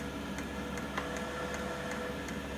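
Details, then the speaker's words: Vevor diesel heater whose fuel pump was relocated to stop fuel siphoning, backfiring and start-up smoke. Normal fuel pump ticking, sharp and even at about 2.5 per second, over a soft hum, heard indoors with exhaust and intake outside. "so in here I do have the ticking from the fuel pump the fuel pump can be replaced with a quiet fuel pump I honestly don't care let's try this again for fun"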